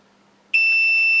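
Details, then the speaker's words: Multimeter continuity test on a quad's flight control board after reconnecting one ESC alone: solid high-pitched beep under a second, a short across the power leads, confirming that ESC is faulty. "all of a sudden there's a problem now I've connected up that one ASC so I know now there's definitely a problem with this ESC"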